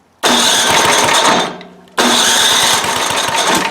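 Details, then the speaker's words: Toro 7/24 snow blower, 7 hp engine, just fitted with a new carburetor after starting and quitting, oil changed for gas in the crankcase: catches with a sharp busy buzz, fades after a second, fires again and keeps running; low-side tweak may help. "there you have it it works and it's a little fella but it does work I'm gonna have to probably fine-tune it a hair and check"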